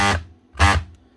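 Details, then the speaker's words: DeWalt DW331 Type 2 corded 240 V jigsaw (2018), customer says not running: two short buzzing mains-pitch hums with no spin-up; motor humming but seized or jammed, possibly burnt out, no sparking. "Right, that could either be seized or completely burnt out. DeWalt one, I'm going to guess and say it might be seized or jammed up."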